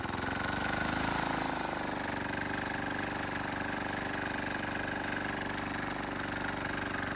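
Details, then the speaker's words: Wheel Horse 314H tractor with a swapped cheap Chinese diesel on its first test drive: even, rhythmic chug under load while moving, with no knocks or misses. Running healthy. "well I don't know about you guys but I'd call that test drive a success"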